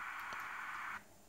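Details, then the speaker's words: AN/PRC-10 tube VHF manpack radio after repairing shorted squelch relay: steady receiver hiss with squelch off, cutting abruptly to near silence as squelch closes; normal. "as power it all and we can hear the hissing because we've got our squelch off"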